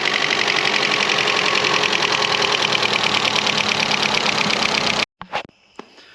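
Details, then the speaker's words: 2012 Chevy Cruze 1.4L after overheating, head gasket and cylinder head replacement, first start: quick even ticking about three per second over idle, suspected followers not pumped up with oil. "There's a little more valve train noise here than I wish there was. I'm hoping that's just a matter of some followers pumping up with oil."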